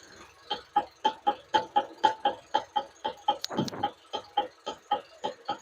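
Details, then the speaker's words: 2020 Ford EcoSport, about 5 years old, clanging on rough roads: engine running, steering wheel rocked while stationary gives sharp regular knocks about twice a second, coming from the steering rack; steering box to be repaired. "இப்ப இது எக்ஸாக்ட்டா ரேக்ல இருந்துதாங்க வருது. இது பாத்தீங்க அப்படின்னீங்கன்னா, steering பாக்ஸ்தான் நம்ம வந்து வேலை பார்க போறோம்."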